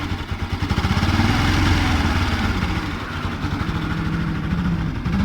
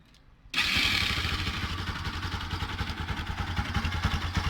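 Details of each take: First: Bajaj Pulsar NS 200 (Rouser) motorcycle engine idling and blipped, with a rough, uneven clatter over the exhaust note; cause found to be a burnt stator. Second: Bajaj Pulsar (Rouser) NS200 motorcycle after repair starts and settles into a steady even idle, engine noise gone; the noise had been caused by a burnt stator.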